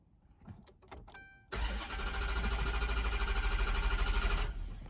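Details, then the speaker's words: 2013 Dodge Charger cranking for about three seconds, pumping the gas, but never firing or catching; owner attributes it to a bad fuel pump, a common Charger defect, before pump replacement; crank no start. "you see that it will not crank it will not crank up sir no matter what you do you pump the gas hey [ __ ] it give it a little time that's a sign of a bad fuel pump"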